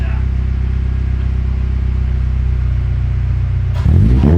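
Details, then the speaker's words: K20Z3 K-swapped 1996 Honda Civic hatchback, fuel table adjusted for some E85: steady, even idle rumble, then a clean quick rev blip rising and falling smoothly; sounds pretty good, nasty, running perfectly smooth; healthy engine revving. "That sounds pretty good. Sounds nasty, yeah."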